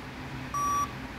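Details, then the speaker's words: Dell Inspiron N5110 laptop, 2015, at power-on: single clean high beep, part of a repeating five-beep code that stops once Windows loads, indicating failed CMOS clock battery (RTC power failure) needing replacement. "When I press power button start working display came but there is pip sound. Uh five time beep sound. It is starting but the sound is continue five beep."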